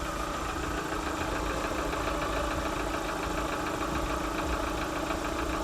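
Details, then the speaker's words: Lada Vesta, before replacing the oil pickup ring, owner unsure whether lifter or piston noise: fast, fairly even knocking about three per second at idle, following engine speed; possible piston knock as commenters suspect. "Вот многие одевают и оно у них надрывается. Вот поэтому, а сейчас давайте запустим, послушаем, потому что почитал комментарии, многие начали писать почёт поршней."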